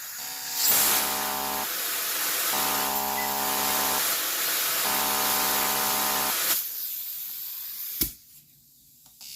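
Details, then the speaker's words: Fuel injector on a pulse tester during cleaning: buzzing in even bursts of about a second and a half with pauses, then air rushes through freely; injector working and clean. "listen so you can hear the injector it is working so that's a good sign"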